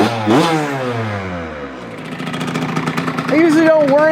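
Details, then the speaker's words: Two-stroke mini bike after going from 132 to 135 richer main jet: revs up crisply and settles back without bogging or spitting, pulling clean and even; running better, healthy. "let see if it's a little bit better with that richer [Applause] main yeah that's better"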